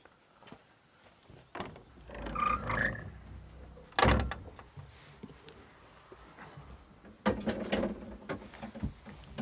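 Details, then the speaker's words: Daewoo Solar 035 3.5-tonne excavator won't start: turning the key gives one sharp click, then silence with no cranking; owner suspects the starter solenoid and plans to check voltage at the starter. "click I don't know if you could hear that it clicked so I'm not too well guess would be that it's the solenoid on the starter"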